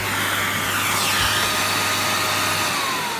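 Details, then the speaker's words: Year-2000 Miele Revolution 700 vacuum running: a steady high whine over the rush of motor and airflow, with the tone drifting slightly. The owner suspects bearings rather than a fault, though this is unconfirmed. "going on a cool whack actually yeah you can hear it's a bit whiny but i think that's actually just bearings i don't think it's wining because it's dodgy"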